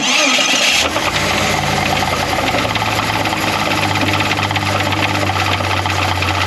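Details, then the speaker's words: Jeep Cherokee 4.0L, replacement engine about 1.5 years old: a dull, steady knock at a rough idle that worsened over an 800-mile trip. It is worse in park/neutral, and worse in drive/reverse when warm; spun bearing or worn rod suspected, unconfirmed. "It's really bad in park neutral. As it warms up, it gets really bad in drive reverse."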